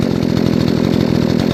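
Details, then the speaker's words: Nearly new Remington RM-4620 20-inch chainsaw had stopped and wouldn't idle after sawdust got past the air filter into the carburetor. After cleaning the carb and adjusting the high and low screws, it idles with steady even two-stroke pulses and responsive throttle. "right now it's idling great check this up very responsive and my throttle launch very nice"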